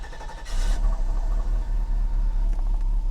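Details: 1990 Mercedes 560SEC (W126) after replacing four leaking fuel hoses and fuel pumps: brief crank, fires and settles to deep steady idle rumble; spark plugs still due for replacement.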